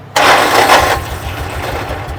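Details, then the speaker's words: Salvage-auction Kawasaki Mule side-by-side after spark plug cleaning, old gasoline suspected no longer flammable; catches straight away with a loud burst without choke, then settles within a second into a steady even idle: clean, healthy start. "Okay, that went better than I thought it would. Okay, so I'm pretty sure that the gasoline that was in there was no longer flammable. Sounds good."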